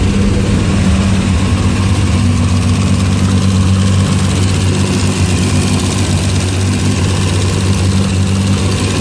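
Steady, even idle with a deep constant drone and no knocks or misses; the engine is running evenly.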